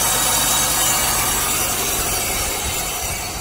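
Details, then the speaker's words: 1995 Chevrolet Monte Carlo LS, 3.1 L GM V6, about 190,000 miles, at idle: harsh hissing grind with a rough beat of about four per second, attributed to a bad AC compressor clutch. "we are going to start it here now it will be noisy because of this AC compressor clutch yeah that's what's making that noise"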